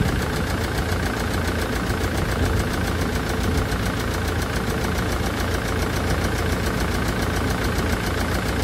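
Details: Land Rover Defender Puma 2.4 TDCi diesel after rebuild (new wiring loom and oil pump), idling in cold weather; a fast, even diesel clatter at a steady idle with no knock or stumble.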